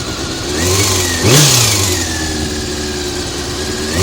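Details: Honda CBR400RR inline-four after riding at Ebisu Circuit: idle then a quick blip rising and falling with an odd mechanical note; abnormal engine noise, cam gear train suspected, unconfirmed.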